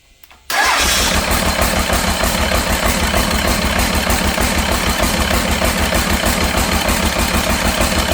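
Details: Cummins diesel engine in a C40 project truck, after swapping the number 6 injector: cranks and catches quickly, then an uneven, lumpy idle that never smooths out; still running rough, cause not found.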